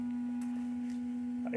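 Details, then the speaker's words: 2012 Mercedes GLK 350 X204 with small-form-factor aftermarket LED low beam bulb: constant pure tone near 250 Hz, audible in the cabin and equally loud with the inspection panel on. The LED bulb is whining. "there is one panel off this one inspection panel but it is just basically that loud with it on as well and worse you can hear it in the car so it's coming out"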